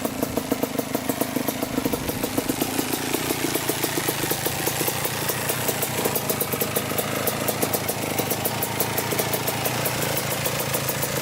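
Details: 1987 Kawasaki Tecate 4 250cc two-stroke quad, after backing out the air-fuel mixture screw that had been turned fully in: settles into a steady, crackling idle with a fast, even beat, no misfires or hunting. Normal idle.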